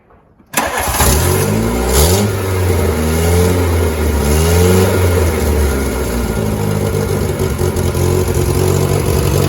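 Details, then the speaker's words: 1988 VW Polo MK2 Breadvan engine after refitting the cleaned carburettor, started, revved a few times, then left to idle. Slightly uneven, puffy idle from a suspected exhaust leak between manifold and downpipe, but much improved. "It does sound a bit puffy because that exhaust leak, so it does make it run a little bit uneven, but it's a big improvement to how it was when I got it."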